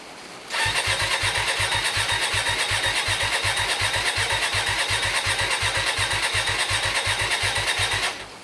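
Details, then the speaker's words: Hyosung GT125RC at its first start attempt in 2 years, after ultrasonic carb cleaning and wiring modification, with no airbox and a temporary fuel tank: even starter churn for about seven seconds with steady compression pulses but no firing. It cranks but won't start. "doesn't look good does it nothing's happening let's try again"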